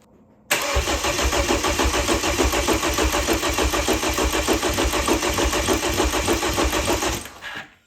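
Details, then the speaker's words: Freshly rebuilt BMW N20 engine (328i) cranking with fuel pump fuses pulled to prime oil before first start: even, strong cranking beat with uniform pulses from every cylinder; healthy, balanced compression. "Okay, well, that sounds healthy. Lots of compression."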